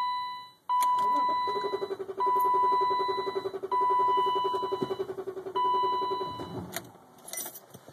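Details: 1995 BMW 325i (E36) with the fuel pump primed, cranked first with no throttle and then with the gas pedal pressed: steady, fast starter churning of three to four beats a second that almost catches but keeps cranking; extended crank without starting, long-standing hard start that is still undiagnosed.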